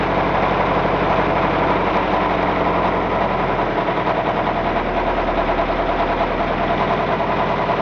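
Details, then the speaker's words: Car engine run without oil or sump, old thin oil previously, rods reaching about 150–160 °C: harsh, rattly run with rough uneven knock; rod bearing failure from oil starvation, bearing welded onto crankshaft. "Bearing.. it's fried onto the crankshaft Look, those aren't seized See those grooves! That's where it has been fretting the bearings will weld onto the crankshaft"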